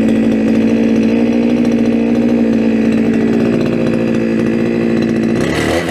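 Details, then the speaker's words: Brushcutter restarted during its first outing of the year, unused since last summer and on old fuel. A steady high-revving two-stroke buzz holds one even pitch without misses or surging, then cuts off; runs fine. "Úgyhogy, na, ezek a gépek üzemkészek. Lehet velük dolgozni, még egyszer ezt is beindítom."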